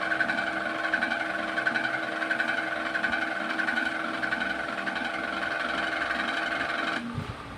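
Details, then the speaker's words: Table fan (jamming while running) runs with a ghyar-ghyar noise: steady motor hum with rasping grind pulsing about 1.5 times a second until switch-off; worn shaft and bushes. "তো বন্ধুরা দেখুন এখানে ফ্যানটি কিন্তু ঘ্যার ঘ্যার ঘ্যার ঘ্যার করে আওয়াজ করছে, একটু কাছ থেকে তোমাদের শোনাচ্ছি।"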